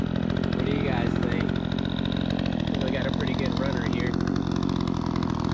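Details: Remington 46cc chainsaw, given away after sitting since last season, running after tuning: strong constant high buzz holding revs through the wood cut without bogging, throwing a big pile of chips, sharp chain; normal running under cutting load.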